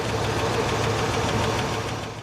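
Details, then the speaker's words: 1976 Mercury Marquis 460 big-block V8, cold idle while warming up: light, quick, even ticking over the rumble; lifter tick, treated with motor purge, after which the tick went away. "Got just a little bit of a lifter tick as it's warming up."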